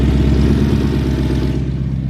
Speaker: so the car is in limb mode um my throttle actuators went bad and i was waiting for replacements